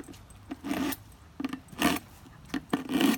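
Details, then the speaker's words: Sharpening a thick metal spatula into a knife with a knife sharpener: harsh, uneven rasping strokes about once a second, chattering badly as the thick blade judders in the cross-V. "see the metal flying off this chatter is really bad it's kind of thick and it's gonna take me a little while I can hear the chatter real bad"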